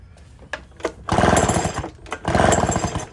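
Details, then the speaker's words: Echo backpack blower two-stroke, found locked up, pulled over with spark plug out: two even pulls with quick regular chuffing, no catch or hard spot; bottom end turns freely, smooth. "smooth as silk I've seen them when the bottom ends go with no plug in it there's just a a hard spot"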